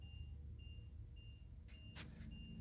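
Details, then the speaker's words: HWH hydraulic leveling jacks retracting after a fix for return springs popping as they dragged across the lower mounting bolts, in cold weather around 35 degrees, going up slowly: a soft, even hydraulic hum with faint beeps and no bangs. "more that bing bang bonging it's kind of cold out here it's going up kind of slow i like it"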